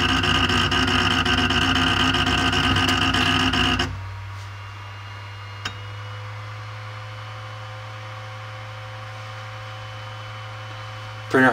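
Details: Creality Ender 5 Pro 3D printer on first use, Z axis forced toward bottom via override: harsh buzzing grind for about four seconds then a quiet hum, Z stepper straining with bed jammed at top near extruder; fixed by manually rotating Z down.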